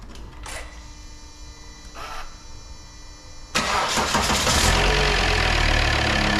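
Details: Volvo XC90 D5 diesel, first start after timing belt and water pump replacement and coolant refill: catches at once and settles into a smooth, steady idle with no knocking; sounds perfect. Normal idle.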